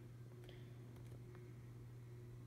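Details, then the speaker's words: Encon ceiling fan salvaged from the trash, with a replaced pull chain, running on high: a steady low electrical hum from the motor at constant pitch in a quiet room. Owner says these Encons are very loud; cause unclear. "can hear the humming on the motor. These Encons are not quiet at all. They're very, very loud."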